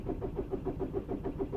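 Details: 2006 VW Golf Plus 1.9 TDI (BXE), long cranking or no start when cold, cranked while reading live data showing no camshaft speed: starter churns at a steady five or six beats a second with no firing; crank no start.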